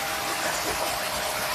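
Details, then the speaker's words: Jet pump 500 water pump, about 800 W, 1.5-inch suction and 1-inch outlet, primed full before starting, on a pre-shipment test run: steady even whirr with soft watery hiss, no knocks or rattles; normal quiet running. "Jadi ini dia pamnya sudah aman. Suaranya sangat ramah lingkungan sekali."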